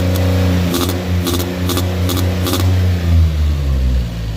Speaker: Sounds like a two-stroke coming out of the intake. It's so weird. Huh. Seems to have good power. Seems to rev okay when it's not trying to move, but as soon as I try to put it in gear and try it moving, it seems like it loses power, so I don't know.